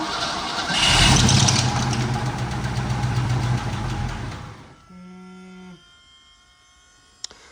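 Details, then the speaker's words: 302 V8 drift car started after an oil change, following a hard-driven day of laps. It runs loud and uneven with a lumpy, stumbling beat; owner wonders if it is a knock and concludes the 302 is hurt, a suspected blown motor. "Sounds pretty bad. I don't think it's happy. I don't think it's... That's not a knock, is it?"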